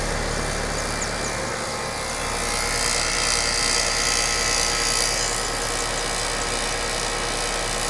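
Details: Condenser unit after replacing bad run capacitor with a 40 µF (40+5, fan side unused): steady compressor hum, fan whooshing evenly, no stalling or buzzing; running normally.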